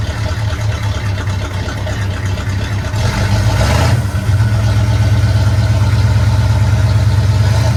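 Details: 1972 Chevy C10 small-block V8, warm engine, not a cold start, after valve covers were pulled: even idle with a brief throttle blip that settles back cleanly, no misses or knocks. Timing still needs fine-tuning.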